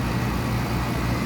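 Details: Liveaboard sailboat air conditioner pump in Florida heat (86 degrees aboard), just reinstalled with rerouted hoses: steady low hum with constant rushing of flowing water, no leaks, knocking, rattling or surging; pump running normally.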